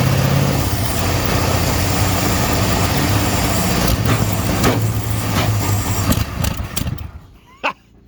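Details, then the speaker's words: 1969 Ford F100 that sat hoodless in the weather for years, hot-wired first start: catches and runs lumpy and uneven with a deep, irregular chug, then stumbles and quits within seconds; rough running, cause not confirmed. "Well, we got it to fire. Sounds like doo-doo, but make a little in here."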